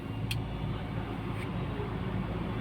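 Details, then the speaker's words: Toyota with a rough-idle vacuum leak fixed by reconnecting a loose pipe; steady even idle with AC on, rpm rising slightly as it should (before the fix it dropped with AC); two brief light clicks, no stumbling. "AC দিলে slightly বেড়ে যাচ্ছে এটাই স্বাভাবিক এমনটাই হওয়ার কথা"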